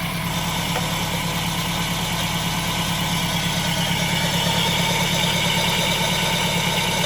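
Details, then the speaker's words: Toyota MR2 Spyder petrol engine idling with a steady hissy whir that sounds like a vacuum leak, traced to a failed bearing in the heavy pulley on the belt drive. "She's roached compared to, didn't even know that one was spinning, did you? There you go. Yeah. So the bearing definitely just let go in it."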